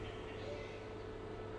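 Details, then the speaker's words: Soundbest Flash power mixer amplifier: about 2 minutes after switch-on the program sound rumbles then disappears, leaving a steady, unchanging low hum from the speakers on both channels while the music keeps playing. "namun suaranya hilang dan terasa suara storing di speaker ada suara dengung Ngu gitu ya dan berikut channel kedua juga begitu teman-teman ya Ada suara noise mengganggu Ya seperti suara ng gitu ya enggak hilang-hilang dan suaranya hilang"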